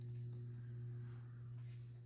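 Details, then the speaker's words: Kmart-labeled SMC U-42 42-inch ceiling fan, circa 1990, 3-speed, on low about 85 RPM: steady low electrical hum with faint rough rustle underneath; audible motor hum and bearing noise, typical for these SMC motors with mediocre bearings. "So, per usual for SMC's, these are not dead silent. Has an audible motor hum there. And it does have bearing noise, which is typical."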